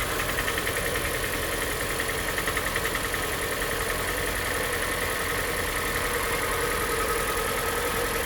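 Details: 2014 Hyundai iX35 with 2.0 G4NA engine, 76,000 km, cold start: fairly even light knocking, two or three a second, over the idle; piston knock, with stuck rings and worn main and rod bearings found, rebuilt with block bored 0.5.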